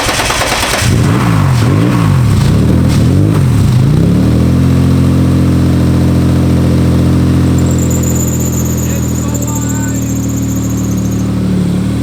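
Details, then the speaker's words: Loud clattery rattle at cold idle after cranking, from an aftermarket clutch release (throw) bearing with matching clutch and aluminum flywheel, not rod knock; car previously broke a crankshaft woodruff key; noise worst at cold idle. "That is not rod knock, it's a throw bearing. It sounds very loud, I don't know why. I have a Satch throw bearing with a Satch clutch and a Finanza aluminum flywheel, and it makes a lot of noise, especially idle when it's cold."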